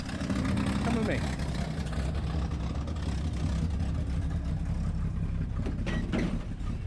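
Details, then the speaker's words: 1986 S15 Jimmy started after the battery was reconnected: it catches and settles into a steady, low, even rumble with no knocks or misses. Normal idle. "seems to be working"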